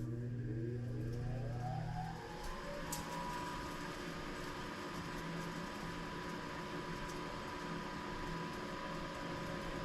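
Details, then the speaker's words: Napoleon NPS-40 pellet stove first startup of the season, heat exchanger fan off: combustion blower spins up with a rising whine then steady hum with faint rough whir; mildly worn bearings, not far gone, possibly ash pieces in blower chamber. "I can hear the bearings on that combustion blower, but they're not totally far gone yet."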